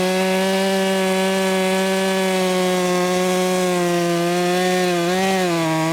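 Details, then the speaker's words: Ported Echo 4910 chainsaw tuned to 14,800 rpm no-load, cutting wood: high steady scream holding pitch, dipping slightly when bogged; about 9,700 rpm dogged in, 11,500–12,000 rpm cutting at own pace; healthy under load. "This is an awesome saw that I should be using much more often, because whenever I dogged it in, it was about 9,700 RPMs."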